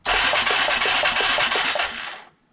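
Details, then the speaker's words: 1989 Yamaha Moto4 350 engine after budget rebuild (stuck valve freed), spark plug removed, first electric start: starter spins engine with even rasping whir, about five pulses a second, no compression drag; normal cranking. "I'm just going to hit the button. It should turn it over. There's no spark plug in anything like that. But we should hear it turn."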